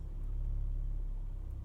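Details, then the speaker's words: Manual car moving off in gear: a low, steady engine note rises slightly, then sags as the clutch reaches the biting point. Normal take-up; too much gas at this point causes kangarooing. "and then after about half a second they kept the left foot still and they put the gas down revved up the jumps off both and it's kangaroo in"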